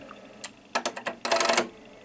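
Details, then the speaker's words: MFJ-994BRT automatic antenna tuner, repaired for high SWR, tested on a 3:1 dummy load: a few sharp relay clicks, then a rapid burst as more relays kick in to match. Normal tuning cycle. "all right so that is obviously working so we hear that of course the clicking uh was doing um the tuning and then you see that now a couple of more relays kicked in which are finally adjusting the tuner to the right amount"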